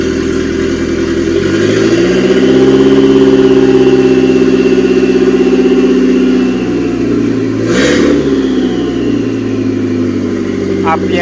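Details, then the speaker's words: Mitsubishi Airtrek Turbo R replacement engine (85,000 km, from a half-cut shop) revved: revs climb smoothly and drop back cleanly, even steady note, no knocks or rattles, good vibration and compression, no smoke; healthy engine. "goes up and okay engine sounds good everything spinning well vibration is good"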